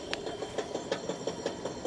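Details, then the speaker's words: Husqvarna 42-inch riding mower deck shaking: light even ticking about six a second continues with the spindle stopped, blade spinning free; loose spindle. "but you can hear that the blade is still spinning, so it's loose."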